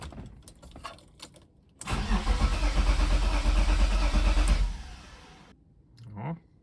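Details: BMW convertible petrol engine after homemade injector cleaning and reinstallation: starter churns steadily about three seconds, roughly three beats a second, without firing because fuel pressure hasn't reached injectors yet.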